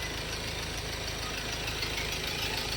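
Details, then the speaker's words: Ford Everest Titanium diesel, recently bought; owner reports it lacks pull and feels held back on acceleration, improved somewhat after fuel filter replacement. Even diesel idle with usual light clatter, no odd knocks or uneven beats; mechanic hears nothing abnormal, normal idle. "Sa pakinig ko naman dito sa makina niya mga boss, wala naman akong makitang kakaiba. Condition yun, na wala ka rin pangamba. Wala namang ingay makina yun."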